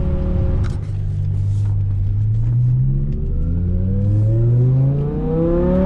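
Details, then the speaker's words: BMW E60 M5 (S85 V10) after a fix for rough cold start and misfire, with cylinder 2 and 3 coil packs replaced: at full-throttle acceleration with AC off it gives a clean, strong pull that no longer falls off at the top end. "Let's go AC off just for a second, even though it should. On the power, it's nice and smooth now."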